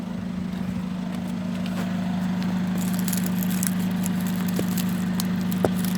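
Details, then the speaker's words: VW Golf TDI GT 2.0 diesel, smoking: steady low idle drone, slightly rough with faint crackle and no clear rev rise; the cause was an EGR valve stuck open and a failed turbo needing replacement. "If anyone's got any idea on what the problem is, personally, I think it's a turbo."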